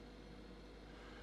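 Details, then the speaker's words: EUHOMY 12V portable compressor fridge/freezer, mic down by the motor while cooling from 57 to a 38-degree setpoint: quiet, even low hum with faint hiss, no knocks or rattles. Compressor running normally, rated max 42 dB. "Now as this thing is cooling, I want to get right down here by the motor so you can hear kind of how loud it is."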